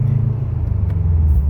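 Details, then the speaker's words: 2004 Subaru Impreza WRX cruising after a new TurboXS cat-back exhaust install replacing a leaky old setup: deep, smooth low rumble, not loud or drony, no hiss or ticking; quieter than before, leaks gone, normal exhaust. "For my taste anyway, it's perfect. Not loud, not drony. I really like it. It's not as loud as the previous setup, but the previous setup had a bunch of leaks, so I was hoping to quiet those leaks, and it did."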